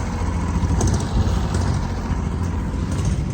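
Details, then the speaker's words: Mid-1980s Kubota B7200 3-cylinder diesel tractor just after cold start at about 15°F, somewhat smoky: low, uneven, lumpy idle as if one cylinder fires weakly; owner suspects a faulty glow plug, also happens in summer. "Kind of funny idle. It does that during summer sometimes too. Makes me think one of those glow plugs is acting a little weird or something."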